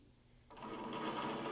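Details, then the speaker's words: Precision Matthews PM-728V-T mill spindle starting up and running over 4000 rpm (4375 rpm): clean, even high-pitched whir with no grinding or knocking, nice and smooth; normal spindle run. "really high RPM over 4000 rpm I love it sounds great it's nice and smooth this is awesome"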